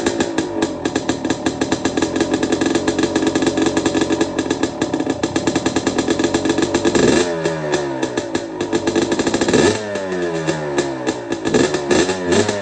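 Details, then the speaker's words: Two-stroke bike with the muffler packing removed: loud crackling blips up and down, every firing stroke distinct, no rattle or misfire. A healthy engine, just far louder than before unpacking. "It still sounds like a healthy 2-stroke engine. You can hear me ripping it up and down the street real quick. It sounds good. It's just freaking loud."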